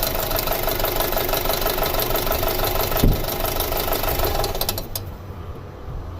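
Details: 2006 Audi A4 2.0T, codes P0300 and P0303 (cylinder 3 misfire), weak fuel pump found earlier, pulse sensor on the intake: an uneven, loping idle at about three pulses a second that stumbles now and then; single-cylinder misfire.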